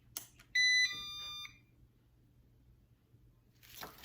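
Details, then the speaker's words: Used Eufy robot vacuum at power-up on plugging in: a short run of high electronic beeps, then quiet. It is an error code (1 wheel stuck, 2 bumper stuck, 3 drop sensors dirty, 4 power too low), likely the low-battery warning. "oh look it says one beat is stuck and wheels hanging in midair two beeps bumpers stuck three beeps drop sensors are dry drop centers are dry four beeps power level is too low"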